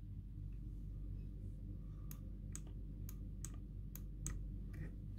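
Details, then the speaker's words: BMW K75 throttle bodies after synchronizing: sharp, crisp, distinct clicks a few times a second over a low hum, the idle switch and potentiometer adjusted to click clearly just when lifting off idle; correct adjustment. "when that's done you adjust the position of the potentiometer and idle switch so that you will hear a clear click just when lifting up from idle"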